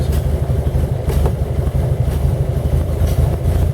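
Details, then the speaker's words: 1917 Buick E-49 on a four-mile drive, temperature around 127 degrees: low uneven chuffing about four puffs a second over a rough-running engine; slight exhaust manifold leak needing copper gasket or stove putty. "that sputtering sound is because i got a slight leak in my exhaust manifold i gotta put some stove putty on that"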